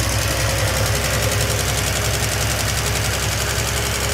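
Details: 1971 Triumph TR6 left disassembled for 20 years, restarted after a valve adjustment that found some tight and some loose, no choke: steady, even idle with a soft low thrum and a quieter valve train. The owner still wants to see more oil.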